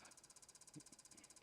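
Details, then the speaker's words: Xbox One console cooling fan giving a fast, even pulsing hiss of about 14 beats/s. The fan is not spinning properly, a failing bearing, so the console stays on briefly then powers itself off; the fan is to be replaced. "But you can see that unlike most power on off issues where it happens within seconds, this one is actually staying on for a little bit, but it's actually going to end up turning off because the fan is obviously not spinning optimally."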